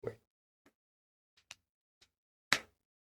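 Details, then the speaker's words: Gray Miyoo Flip handheld during a 10-minute hinge stress test: several sharp, isolated clicks half a second to a second apart as the hinge is worked; the source of the click is unclear. "Huh. I think I hear another click here. Do you hear it?"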